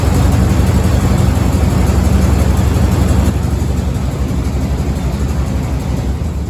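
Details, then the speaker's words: 1987 Chevy 3500 with 454 TBI V8, new distributor cap and rotor just fitted: heavy, lumpy idle with an uneven pulsing beat that sags and stumbles; misfire. "he doesn't like it [Music] so now we're going to try with eight spark plugs connected instead of eight eight eight seven eight spark plug wires"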